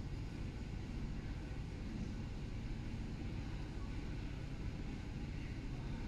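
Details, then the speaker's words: BMW E90 320i N46 on final road test after the repair of rough idle, hesitation and misfire codes P0300/P0301/P0134. Steady low engine drone under road noise, pulling evenly with no stumble; engine light off, performance restored; normal running. "so I'm just driving this on the final road test now uh engine light has stayed off no fault codes coming back and complete performance has returned we have no erratic idle"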